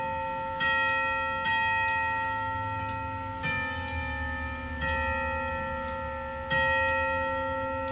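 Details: Amish handcrafted grandfather clock, chime rods struck in tuning check after hammer that hit too hard was bent back off the rod: clean, ringing chime strokes about a second apart, even sustain and fade, no buzz or clatter; hammer correctly adjusted.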